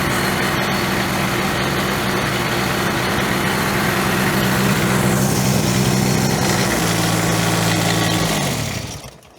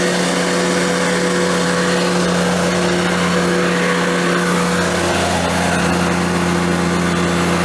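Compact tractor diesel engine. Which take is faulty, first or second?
first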